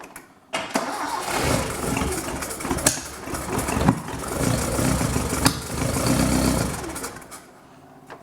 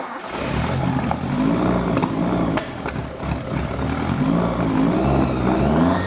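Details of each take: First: Sigma start-up after a custom welded exhaust, with coolant leaks already fixed and choke in use: it cranks briefly, catches and settles into a slightly uneven but steady run with no knocks or rattles; normal cold start. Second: Mitsubishi Sigma on its first decent run after a custom exhaust was fitted from the headers back, choke in use: revs rise and fall unevenly with a ragged, hesitant note that never settles, the carbs running very lean.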